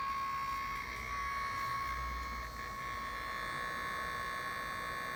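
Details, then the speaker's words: Nearly new BioLite CampStove 2, fan on lowest setting, not overheating: steady high whine with faint fluttering buzz; owner suspects something loose inside making the fan vibrate and oscillate, cause unconfirmed. "this one has a vibrating noise inside of it something is is isn't that tight inside maybe the fans little sorry but there's like an oscillation and the fan"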